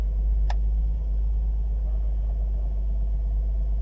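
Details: 2008 Nissan Murano 3.5 V6 after repair of multiple-cylinder misfires, all six plugs removed and cylinders cleaned: steady even low idle rumble, no stumbles or missed beats; misfire cleared.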